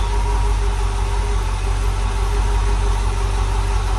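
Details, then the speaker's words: Rebuilt small block Chevy V8 in a white dump truck, which knocked badly before the rebuild, on first startup: idles steadily and evenly with a smooth low rumble and no knocks or misses, showing about 50 lb oil pressure. Manual choke and timing are not yet set. "I still got to hook it up. But she sounds pretty good."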